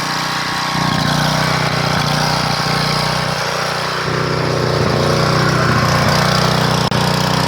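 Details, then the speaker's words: 1997 3000-watt portable generator, Tecumseh engine, sat 20 years with old gas: note surges and sags instead of holding governed speed, only about 115 volts output; hunting from a varnished, pitted carburetor, replaced afterward. "we'll kick this thing on you've listened to you hear it struggling it can't seem to govern itself because the carburetors in such a bad shape"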